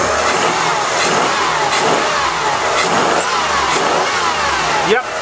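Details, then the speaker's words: Chrysler JXI convertible after new fuel pump fixed off-idle misfire and lean running, pressure now 50 psi (spec 49±2), cold engine on road: smooth pull under light throttle, one brief stumble from cold; normal running. "sounds good not not too concerned about that little stumble there the engine's still cold"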